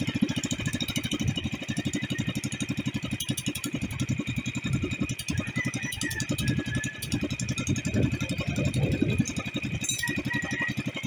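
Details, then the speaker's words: New Sumo Rato SR 150 M single-cylinder racing boat engine idling during tuning; fast steady putter that drops out and stumbles now and then like a lean cough; suspected fuel problem, a similar engine was cured by closing the choke slightly. "hear it running and every now and goes toot toot toot toot. Yeah, that's I think that's a fuel problem."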